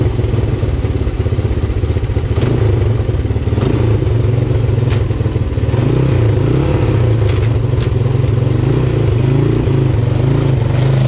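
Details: 1997 XR200R barn-find dirt bike on non-ethanol fuel, started after the leaking O-ring was sealed with gasket maker. Crisp, even single-cylinder thump that picks up cleanly on throttle blips; runs healthy.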